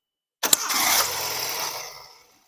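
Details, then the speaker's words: Engine on first start: catches with a brief rush, bogs down and dies within about two seconds, then only cranks on retry; owner suspects the fuel pump is not supplying fuel. "money so now we notice that that once we started the engine for the first time there was a a a response the engine started and then it bogged down and it shut down"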